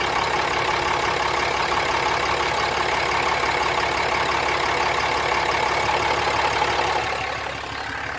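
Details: 2017 Ram 3500 diesel, injector kill tests by scan tool (5 s each, at 12–17 s and 28–33 s): harsh fairly regular metallic rattle about three beats a second at idle; source not pinned down.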